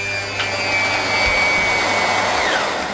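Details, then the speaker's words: Electrolux Ultra One powerhead: steady high motor whine with no brush-roll whir, lights on, brush not spinning or slowing on heavy carpet; damaged belt suspected. "you can hear the little motor is actually going and the lights are on the front but the brush isn't spinning or it gets uh slowed down when it hit it's heavy carpet so normally that will be the belt"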